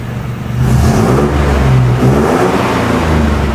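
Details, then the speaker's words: 1970 Jeepster Commando with rebuilt Rochester carburetor: picks up cleanly, revs smoothly, settles to an even steady note with no misses or stumbles; running like a champ, normal running and revving. "All right, so the carburetor is rebuilt and the Jeepster is back to running like a champ. Gonna take it for a quick test drive, but so far it's running pretty good."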